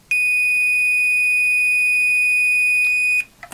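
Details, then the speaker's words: Tektronix TDS 340 oscilloscope repair, meter diode test on the right-side diode: continuous high-pitched beep about three seconds in reverse; continuity both ways, diode shorted. "now to the other side the right side diode and lo and behold that shows the dead short"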